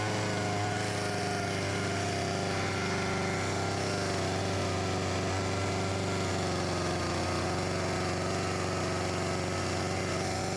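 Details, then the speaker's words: Husqvarna 254 G chainsaw, after fuel line replaced and carb refurbished: steady, even idle without hunting or stumbling, slightly fast, near clutch engagement; to be set to 3000 rpm (owner unsure spec is 2800). "Will it idle? It does - and it sounds quite good, maybe a little high idle speed"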